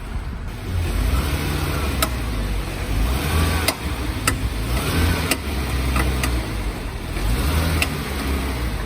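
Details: Lifted Jeep JK in four-wheel drive creeping in reverse, window down: sharp clicks about every 1.5 seconds over low engine hum; worn front driveshaft CV joint with broken CV boot, absent in two-wheel drive.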